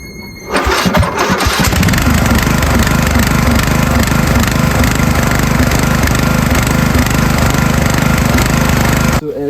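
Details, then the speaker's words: Small lawn mower engine with a crazy surging idle, speed hunting up and down and idling badly; fixed by turning the single idle adjustment screw, after which it runs perfectly. "you can hear, it has a crazy surging idle, which is literally as easy as turning this one idler adjustment screw."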